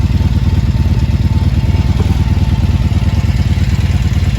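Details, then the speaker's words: 1983 Honda V45 Sabre VF750S, 25,868 on the clock, new battery, fuel leak fixed, temperature gauge at one bar: a deep, even low thrum at a steady idle with soft regular pulses, no knocks or ticks, a healthy idle. "This bike's pretty solid now. Hear that soft purr?"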